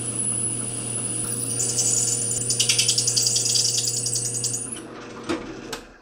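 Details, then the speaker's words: Resharpened carbide masonry bit (former SDS bit, thicker carbide) drilling a hardened steel chisel: a high, scratchy squeal with chattering as the dull tip skates and rubs instead of cutting. "you see it was skating around to begin with the tip the carbide in this is quite a bit thicker and the tip when you know it's not very sharp so skating around"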